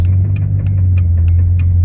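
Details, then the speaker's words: 2000 Jeep Cherokee XJ 4.0L while driving after an ignition coil replacement: a crisp light click repeats about three times a second over a steady engine drone; the owner blames worn U-joints, not confirmed. "Don't mind that click, click, click, click, click. That would just be those crappy U-joints right there."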